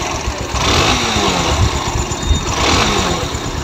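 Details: Bajaj Pulsar NS 160 single at a choppy idle with light throttle blips: a rough, rattling edge over the beat; abnormal engine noise, cause unclear.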